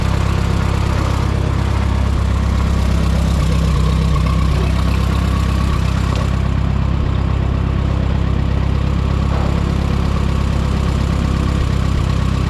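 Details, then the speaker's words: Minneapolis-Moline M5 tractor idling cold on a 25-degree morning, hydraulic oil thick; steady low even idle thump about four beats a second at constant speed, no knocks or misses; oil pressure good, charging. "She's moving now, but man, the oil is thick, apparently. She's cold."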